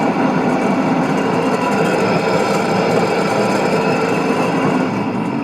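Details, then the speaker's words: Kitchen food waste disposer running with a loud, steady rattling rumble; cause was the upper shaft bearing (6002-2Z), apparently damaged by moisture past the shaft seal, fixed by replacing bearing and seal. "прям натуральный звук думаю что либо посадочные муфты валов либо если подшипники там есть они разбились и пришли в негодность"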